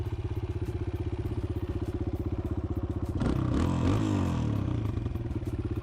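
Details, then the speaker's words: 2018 Kawasaki KLX140L pit bike idling after cosmetic mods: even single-cylinder thumping about four beats a second with a brief clatter midway; otherwise a steady, healthy idle. "sounds really good and healthy"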